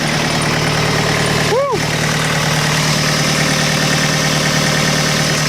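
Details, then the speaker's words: Tractor diesel at about minus 25°C, just started and warming up, having dropped from high idle to lower idle: steady, low clatter holding an even idle with a brief chirp over it; normal cold idle. "okay I'm going to let that thing run W and uh warm up a little bit oh man I just turned the camera off and it went from the high idle down to the lower idle really"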